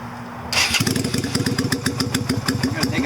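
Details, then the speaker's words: 2000 Yamaha Virago XV250, cold about 40°F, carb with drilled slide diaphragm, cut spring and needle washer: revs sit high and pulse unevenly, slow to return to idle, dies on throttle; owner suspects the drilled diaphragm hole. "It takes forever to get back down to idle. And I don't know if you can hear it, but anytime I give it throttle, it dies. So I think that drilling the hole in the diaphragm is causing that."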